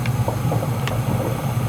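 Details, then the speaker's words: Whirlpool gas water heater relit after thermocouple replacement, heard running: steady low burner rumble with faint bubbling pops over it; the heater works normally after the repair. "Wow. I can hear it bubbling. It's working."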